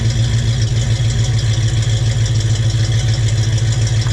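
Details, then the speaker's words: 1968 Ford Mustang 302 V8, on ramps just after a JBA tri-Y header, X-pipe and dual stainless exhaust install; deep steady burble with an even fast pulse, no ticks or rattles, and quieter than before; normal running. "All right, so we're done. It sounds decent. It did what I wanted to do and quiet it down some."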